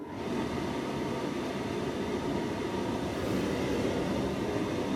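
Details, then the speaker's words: Tumble dryer No. 40, motor running: steady, even whir with no drum thump or tumble, motor spinning freely because the drive belt is missing; program dial no longer works. "the motor's fine there's just definitely no belt"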